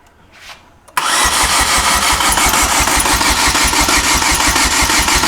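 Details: 2008 Chevy Aveo that still won't start after oil was found in the coil boot holes: steady starter cranking at about three beats a second with no catch. Diagnosed as a blown head gasket, though the engine had not overheated.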